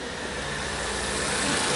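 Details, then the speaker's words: VW Up just after service, oil refilled and adaptive parameters reset, started after a short crank while the injectors filled: smooth, steady idle with no shake or misses, an even hum building slightly; healthy engine. "Show. Motor já funcionando."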